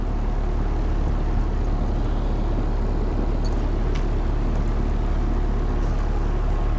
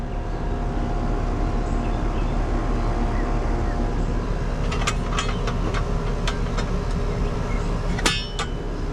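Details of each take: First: Air conditioner outdoor unit on a no-cooling call: steady fan hum with no compressor running beneath it; line not cold, contactor looks rough, cause suspected not confirmed. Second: Residential AC condenser on a no-cooling call, where the compressor had not been running, just started after being rewired: constant low hum with fan and compressor running steadily, a few metal clinks from handling; running normally.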